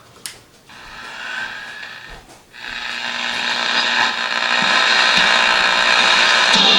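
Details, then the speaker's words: Early-1960s Magnavox "Gaytime" vacuum-tube clock radio, seemingly an All-American 5, after two replacement capacitors were wired in: a pop and short fade, then steady audio builds and holds clean with no hum or crackle; tuning works and picks up signal well. "Yeah, sounds like an All-American 5. This will get exceptionally loud, I can tell. And yeah, tuning works fine, picks up great signal."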